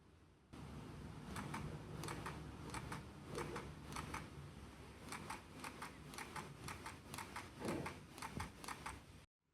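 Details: New Sony A7 IV body: faint fast ticking clicks in clusters while holding AF-ON or half-pressing the shutter during focusing, not at shutter release; occurs with five different lenses that are silent on an A7S III, so owner suspects a body fault.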